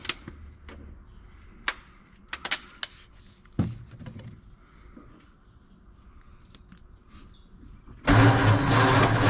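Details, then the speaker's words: 1948 Ford F5 truck, dormant nearly 30 years, first start attempts with starting fluid and distributor being adjusted: starter churns the engine steadily with scattered clicks and a new unexplained noise, but no firing; cranks but won't start. "I don't know what that noise is that's a new noise isn't it I don't hear any firing yet"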